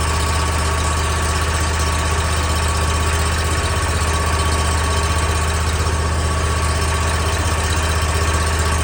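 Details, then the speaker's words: New mower just after its first oil change (inverted vertical filter, not pre-filled), run at low RPM on initial start to pressurize oil and fill the filter; steady, low, even putter with no knocks or misses while warming up, healthy. "Initial start, low RPM. You want the oil to pressurize and get that oil filter full of oil without starting the crankcase. So you want lower RPM."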